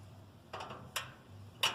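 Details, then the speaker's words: Kenmore top-load washer, newly fitted lid switch: three crisp, light clicks within about a second as the lid rod trips it when the lid closes; switch snaps over cleanly; normal lid switch click. "See? You can hear it click when the door closes."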